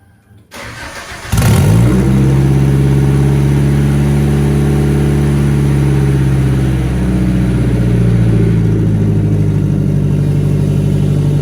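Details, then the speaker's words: Nissan 240SX with ISR single GT exhaust, before muffler and new gaskets: engine cranks and fires into a very loud, deep, uneven exhaust drone; exhaust leaks, fumes leaking into the cabin. "so you can see that this thing is stupid loud um it does have some exhaust leaks and it leaks inside the cabin since it's not full interior yet"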